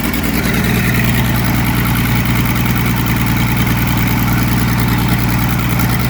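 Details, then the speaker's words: Muir Hill tractor diesel after rebuild with new liner and rings, oil system primed, first start-up: loud, deep, steady chug holding an even beat, no knocks or misses; sounds like a new pin, normal idle. "Wow. Sounds like a new pin. Okay, that sounds lovely."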